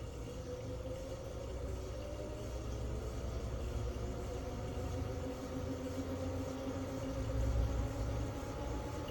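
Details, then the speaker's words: Jeep CJ-7 EV conversion, electric motor on a temporary wooden mount, running in two-wheel drive with accelerator held by a taped rod: quiet smooth hum with a faint whine rising in pitch as it spins up, no grinding or knocking, healthy. "I'm going to start it up uh yeah you'll hear a click and then another click and then it'll run"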